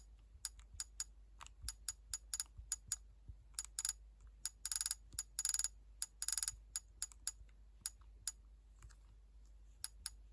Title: PSP clicking sound